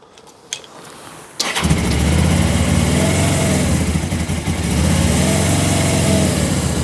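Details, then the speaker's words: 2000 Suzuki GS500E twin, recommissioned after restoration, restarted with choke on. Silence, then fires at once and settles into an even, steady beat with no stumbles; healthy start. "So, I just like the way it starts like that. yeah, show us. Can we have it started up again? I just forgot how well it starts."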